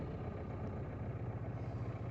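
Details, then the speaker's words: 2018 Citroen Berlingo 1.6 BlueHDi diesel van, 35,000 miles, sat six months as a non-starter after a DPF fault, fuel pump code cleared: low uneven lumpy diesel chug while air clears from the fuel system. "gotta start for a stall it's obviously gonna have some air in the system"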